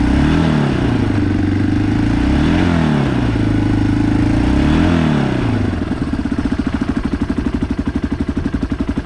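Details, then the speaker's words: Yamaha Big Bear quad bike ridden along: engine note swings up and down under throttle without pulling, then a pulsing chug; the clutch slips. "I'll just jump on it, and this is what a clutch slip sounds like when you're riding along."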